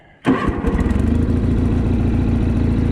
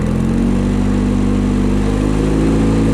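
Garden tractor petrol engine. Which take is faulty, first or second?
second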